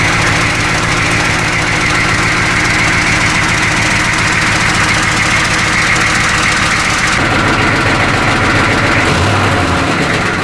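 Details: 1985 M1028 CUCV (militarized diesel K30), GM 6.2L diesel with custom 3-inch exhaust and free-flow muffler, before fixing: rough idle with fast loose metallic chatter, exhaust rattle from loose, crooked, low-hanging brackets.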